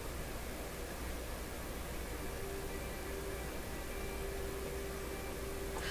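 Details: German console tube radio after repairs, FM signal weakened by removing antenna leads, magic eye barely moving: constant rushing hiss with faint tones drifting while tuning. FM tuning noise on weak signal.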